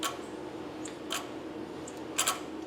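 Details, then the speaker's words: Nissan Sentra with P0400 EGR code (also P0430), engine running: a few faint irregular sharp clicks as the EGR stepper motor tries to move; EGR pipe stays cool, valve suspected stuck or plugged. "so I don't know if you'd be able to hear it but when I open I can hear some stuff so I do hear some function going on there"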